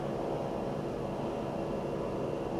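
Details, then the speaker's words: Funmily walking pad with incline, electric motor running at its top speed of 4 mph: steady mid-pitched hum with a light even whir, no grinding or knocking; a little normal running noise. "You can hear it. There's a little bit of noise associated with it."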